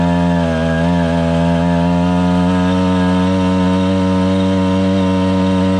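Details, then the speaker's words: 110cc two-stroke motorized bike kit, heavily loaded with a bag strapped to the rack, holds high buzzing revs under load without easing off as the clutch slips for the first time. Clutch slipping under load. "Whoa, hello. It never slipped the clutch before."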